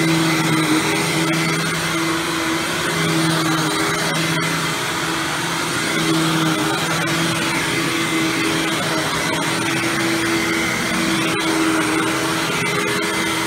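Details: Hoover Windtunnel Supreme vacuum test run after fitting a used replacement motor: a loud, steady motor roar with a high airy whistle, even and unwavering throughout; normal running.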